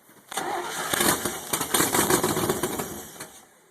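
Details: 1970 Corvette LT-1 convertible, not run in 25 years, first start on a little gas poured into the carb: long crank catches into rough, uneven firing for a few seconds then dies; brief start on carburetor-primed fuel.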